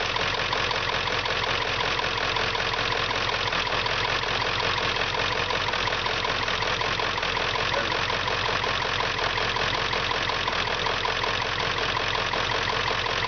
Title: Rough idle, Wire harness issue.